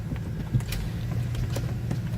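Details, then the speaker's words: BMW 328i with steering lock malfunction and no start, battery weak: key turned but no crank, only scattered sharp clicks over a low electrical hum. Starter solenoid suspected, not confirmed. "I can tell you right now, I think it's the solenoid and the starter. The solenoid on the start. That's what I think it is. Whatever it is. I can hear it clicking that something."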